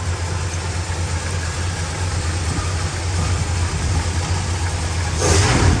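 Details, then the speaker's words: 1968 Dodge Super Bee 383 Magnum, just over 31k miles, one replaced muffler, Pertronix ignition, new wires and cap, doesn't smoke: deep, even V8 burble at idle, then a clean throttle blip. Normal idle and revving. "And a finer, tighter running 383 Magnum. That sounds this good. This thing is tight and still drives like a new car."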